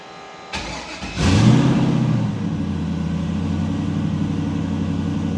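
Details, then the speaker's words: Foxbody with Injector Dynamics 2000cc injectors, 1000hp build running E85, warmed up: brief crank then clean catch, flare and smooth steady idle after tuning after-start and coolant-based enrichment and adjusting cranking fuel; normal start and idle. "so I'm pretty happy with the way code starts and I got the after start in Richmond and the coolant based enrichment all sorted out as it warmed up"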